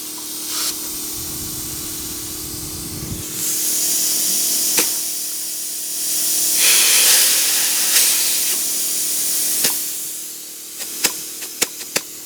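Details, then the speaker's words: 1971 Autocar A64F truck: loud steady hissing rising and falling in bursts as the brake valve blows air to the brakes continuously without control-line pressure. "Okay, I figured out what my problem is. This blows air to the brakes the whole time unless this has air."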